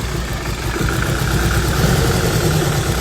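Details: Freshly built supercharged Honda Civic FN2 on an RB30 block, first start after install: a lumpy, stumbling, irregular idle, described as not yet on all four cylinders; misfire.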